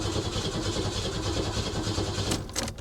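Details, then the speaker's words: 2002 Ford Thunderbird at a salvage auction, long-sitting, throttle body area disturbed: steady starter cranking about three turns a second, engine never fires, no fuel pump hum heard; suspected fuel system issue or tampering, not confirmed. "yeah i don't hear the fuel pump there is also a possibility that somebody came out here and messed with it"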